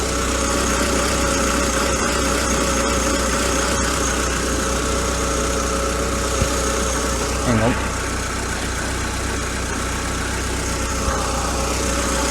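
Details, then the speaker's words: Citroen Saxo burning oil, idling with the vacuum feed on the crankcase breather line removed: smooth, even idle hum with no gurgling; gurgle is present only while that vacuum is connected. "noise has actually gone there right so there's gurgling noises when that's connected to the that"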